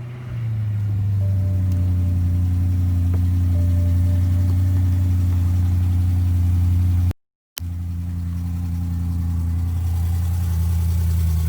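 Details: BMW M3 E92 V8, November 2008, 88,000 km, mostly city driving, idling: light regular tick over a deep steady rumble that sounds like conrod bearings but is an exhaust leak from the exhaust manifold.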